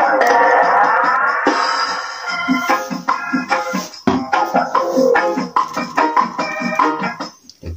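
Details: Mini DIY amplifier set to 25 W, 16 ohm output, driving a horn speaker through a 70 V matching transformer; organ-style music plays loud and clear with no distortion, hum or crackle; normal clean output.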